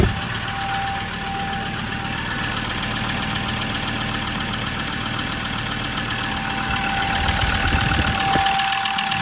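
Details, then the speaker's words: Ford Ranger 3.2L automatic (P5AT) diesel, just after all injectors were replaced for ticking, humming and an injector-area oil leak: smoky start, then an even idle clatter with no ticking. Normal idle. "That sounds good. No ticking"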